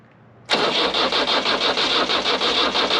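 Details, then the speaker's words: Nissan SD22 2.2L 4-cylinder diesel swapped into an Oliver OC-3 crawler loader, first crank via newly attached starter button: starter spins engine in steady rapid pulses about three a second, smoke appears but it never catches; crank, no start. "all right two things are happening one is bees are coming out of it the second is turning over and the third is I see smoke smoke is a good sign"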